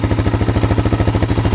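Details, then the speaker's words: Yamaha Raptor 660 quad after repairs, restarted instantly after a ride with no leaks; single-cylinder idle with a steady, even thump about twelve beats a second, no ticking or clatter, engine healthy and running great. "Yeah, it's working. Engine sounds good, no ticking at all. Yeah, it's running great."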